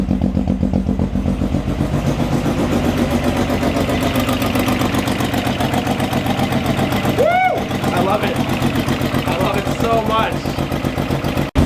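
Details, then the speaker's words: Car with a very loud, throaty exhaust, warming up for 10-15 minutes after coolant was added. Its even, steady idle pulse has no misfire or ticking, and it runs much smoother than before. "running extremely smooth today. A lot of people say once I put coolant in it, it'll chill out a bunch, and it definitely has. Definitely a lot smoother today."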